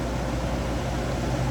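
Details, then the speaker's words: Coleman dual-compressor RV air conditioner newly installed in an Alpha, test run after install. Steady hum and airflow, no rattle or squeal; it runs normally with compressors at 8.50 and 8.52 A in spec and a 21-degree differential. "So right there, I mean, those two compressors are in spec. Fans are doing good. 21 degree differential on that. So this unit going in this Alpha is ready to go."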